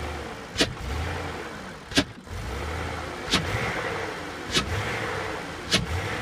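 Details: 2003 Range Rover L322 4.4 V8: low idle broken by sharp dry pops at each throttle blip as revs drop to about 250 and the engine almost stalls. The owner suspects low alternator output cuts out the LPG.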